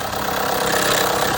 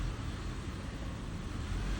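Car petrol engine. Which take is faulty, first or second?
first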